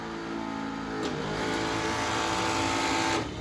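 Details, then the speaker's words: 1957 Ford Skyliner retractable hardtop, deck lid screw lock motor after modification disabling locks once unscrewed and raised (ground wire disconnected via relay): smooth steady electric hum about two seconds, then clean cutoff; normal, quieter operation with lower current draw. "so anyway it's very quiet it's the main thing but also less less current draw for the entire Cy cycle excuse me up or down"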